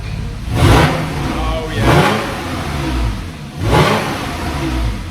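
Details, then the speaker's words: Porsche 991 Carrera S after replacing the solenoid: three throttle blips rise and fall smoothly with muted, subdued exhaust note, nothing harsh or droning; quiet start-up mode working as it should. "So they start up in quiet mode, so give it a rev. Sounds quiet to me."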